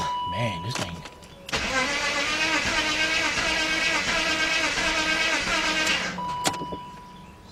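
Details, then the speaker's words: BMW 5-series (525i/528i/530i/540i, 1997–2003) cranks with an uneven, lopsided rhythm about three beats a second before catching, suspected low compression. It then started, smoking heavily, with the service engine light on. Cause unconfirmed. "sounds like it's low in compression."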